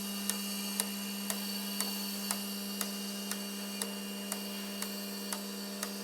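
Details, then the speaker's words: V6 turbo R5 replica fuel injectors on a test bench at 4 bar after ultrasonic cleaning, flows about 54 per test tube: crisp, even clicks about twice a second over steady pump hum, none missing; normal injector operation. "Bon, donc là l'ultra c'est fini et bon maintenant j'ai refait le test. Donc vous allez voir. Donc je ferme je ferme les éprouvettes ici et j'envoie le test."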